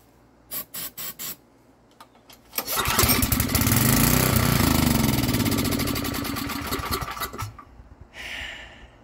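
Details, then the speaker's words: Estate-sale generator, air filter off, on starting fluid; a few cranks, then it catches and runs ragged about five seconds, surging and fading before dying; owner thinks the carburetor needs more adjustment. "all right maybe the carburetor is gonna need a few more adjustments"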